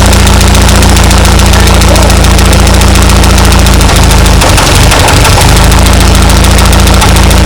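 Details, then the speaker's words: 1939 Ford tractor sat in field 20+ years, choke adjusted: old four-cylinder runs loud and steady with even low thump, one brief stumble, burning out old carbon; normal running. "That's pretty exciting right there. Ran good."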